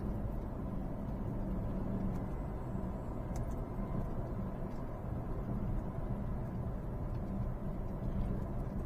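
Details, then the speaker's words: Peugeot 308 road test after repair: steady low road rumble with front suspension clunk gone; noise traced to stabilizer bar vertical end link, lower control arm bushing also failed, front shocks have no damping. "这个异响应该是没了，我们就可以肯定啊，现在这个异响没了。"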